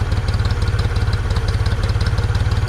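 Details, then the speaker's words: 1974 Ford 3550 industrial tractor, sat 18 years and previously stuck solid, now running: even, steady low thumping idle with no knock or miss, purring smoothly; normal idle. "listen to that thing though 50 what we say 58 years old 58 years old she's sitting there purring like a kitten"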